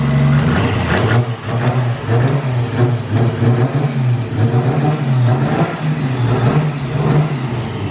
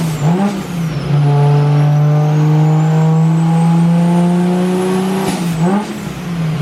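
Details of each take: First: Nissan R32 Skyline on a simple ECU Master base tune before dyno, loud exhaust without muffler: sharp clean free-rev blips over steady burble, much improved smooth throttle response; normal. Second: Nissan Skyline R32 sedan on the dyno being remote-tuned: a low, throaty, slightly blubbery drone from running rich at low rpm; the new manifold is suspected of spacing out the injectors and changing their spray pattern.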